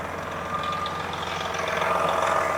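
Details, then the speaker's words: 1999 Volvo with Detroit diesel, pumps fitted, sitting unused since 2016, newly started: steady, even idle with a light whistle, no knocks or misses, running smoothly. "man that thing runs sweet don't it I think yeah"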